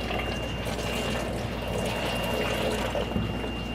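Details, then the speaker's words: Reynolds Tech wet bench cascade overflow rinse tank fed with DI city water, overflowing through a dedicated drain to the main drain until the resistivity set point (1.6) is reached, then diverting to DI reclaim; steady, even rush over the weir, no gurgling or pump noise; normal. "So the tank continues to overflow. Filter from the bottom overflows over the top, and it's being removed to the main drain until your resistivity is set here."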